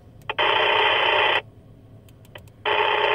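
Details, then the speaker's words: Rexing dashcam near ham radio tuned around 146.5–147.9 MHz; harsh bursts of buzzing static cut in as soon as the dashcam turns on, radio frequency interference from the camera. "so again we'll fire it back up soon as we turn it on the interference kicks back in"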